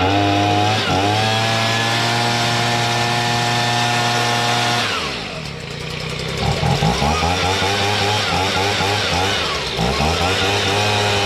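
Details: Stihl BG55 two-stroke leaf blower after carburetor replacement and adjustment of the carb screws. It holds a clean steady buzz, then drops and picks back up crisply without stumbling. Normal running.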